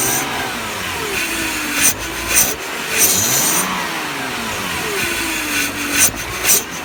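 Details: BMW E46 with new ICV, MAF, intake boot and DISA: loud steady hiss over a low, uneven, surging idle, RPM dropping to about 400, high oil consumption; large air/vacuum leak persists with intake removed, source unknown.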